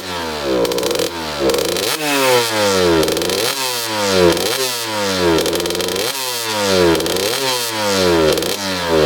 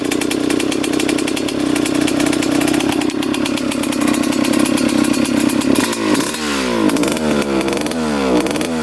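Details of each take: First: 2003 Suzuki RM125 two-stroke revving crisply and cleanly to high pitch without bogging after main jet changed from 145 to 155; no pinging on deceleration, carb now fuels properly. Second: 2003 Suzuki RM125 two-stroke before repair: raspy rough buzz, revs flutter and sag unevenly with lots of blue smoke; extremely boggy, traced to a partly clogged pilot jet.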